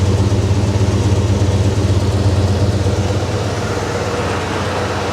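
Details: 1982 Ford F-150 XL, one owner, 76K miles, sitting since 2013, newly revived; heard at the exhaust, earlier smoking but no longer: steady, even low rumble with regular beat, no misses or popping; idles cleanly.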